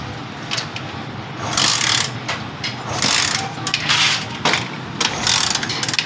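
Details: Honda CD 70 motorcycle engine: uneven metallic clatter swelling in bursts over the running engine, timing chain rattle; fixed by a replacement timing chain set.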